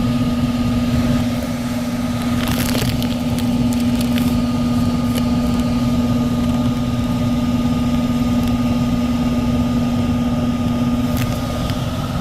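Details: 1999 HVAC unit, about 25 years old: blower motor gives a loud steady droning hum with coarse rattly vibration, visibly shaking; tech recommends replacing the blower motor.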